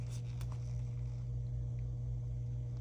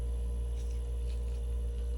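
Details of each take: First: Vissani HVBC31ST beverage cooler not cooling: steady low hum, then a sharp click as the compressor overload resets. Power reaches the compressor but it won't start; the start device or compressor is suspected, and the start device was replaced. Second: Vissani HVBC31ST beverage cooler after replacing the compressor start device, plugged back in: steady low hum with a faint constant tone, no clicking or cycling; compressor running smooth and healthy.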